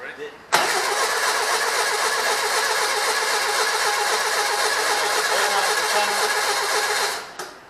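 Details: Rebuilt air-cooled Volkswagen Beetle flat-four engine on its first start before 20-minute cam break-in at 2500 rpm: catches instantly, settles into a steady, even, raspy run for about seven seconds, then shuts off cleanly; normal start-up and run.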